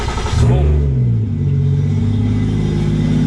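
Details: Toyota 1JZ VVT-i with a Tomei Arms MX8280 turbo, first start after 5 months: starter catches on the first crank into a firm, even idle with a deep steady exhaust note and no knocks or misses; healthy start.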